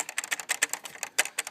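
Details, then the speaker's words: Chevrolet Silverado/GMC Sierra glove box: quick, uneven plastic clicks and clatter as the latch lever bounces while driving, because the plastic spring perch is broken and holds no tension. "that bounces around as you go down the road which is like the lever for the glove box door and the reason it rattles is cuz that little spring the little plas piece that it Bears against is broken"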